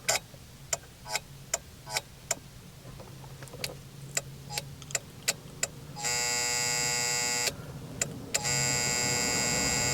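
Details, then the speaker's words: 2007 Honda Accord turn signal: uneven relay clicks break into a steady buzz, dash indicator flashing erratically or not at all, hazards also failing; bad signal/hazard flasher relay, replaced with Standard Motor Products RY-731. "what's going on is the signal indicator here on the dash is flashing erratically and it's making a buzzing sound"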